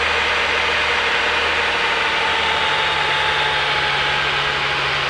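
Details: 1998 Ford Taurus 24V, 76k miles, hard to start, cold idle: steady low buzz with a faint higher tone over the engine hum, source unknown; happens only when cold and goes away after a few miles of driving.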